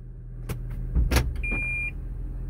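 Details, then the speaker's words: Toyota Prius in reverse after the repeating reverse beep was disabled by software: over a quiet low hum comes one short high chime of about half a second, then nothing, so the warning no longer repeats. "beautiful see it's not beeping annoyingly anymore let's put it back on park let's test it again beautiful at first with that first beep i got scared i was like it didn't work"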